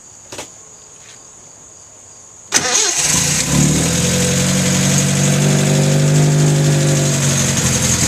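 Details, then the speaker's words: 1973 Datsun 610, cold start: a short crank, then the engine catches right away and settles into a smooth, slightly fast cold idle that should settle once warm; normal cold start. "Starts right up to the cold. Idle should settle in once it gets warmed up."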